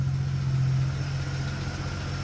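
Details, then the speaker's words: 1973 AMC Gremlin, 30 years in a barn, now starting on the key after a few extra carb adjustments: fires right up and settles into a steady, even low idle with no misses, knocks or hunting. "Anyway, so I've broken the buzzer, but the important thing is that now with the key, she runs, and a few extra carb adjustments, it fires right up with the bump of a key."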